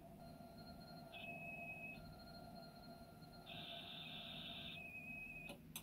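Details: Amstrad CPC464 tape deck after new belts, lubrication and idler tyre replacement, loading a tape: data tones switch between steady pitches with slight waver, cleaner than before but still mildly unsteady; tape speed wobble.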